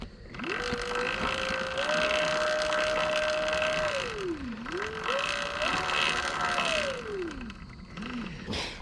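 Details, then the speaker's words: Sur-Ron electric dirt bike: motor whine rising and falling with throttle sounds fine, while the drive chain, which has hit the tire, makes a rough raggedy, graggly rattling chatter underneath; noisy drive chain, owner wishes for a belt drive. "can hear the motor making a woo, but the chain is making that raggedy, graggly sound."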